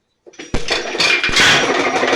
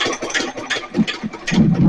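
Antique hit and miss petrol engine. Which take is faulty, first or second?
first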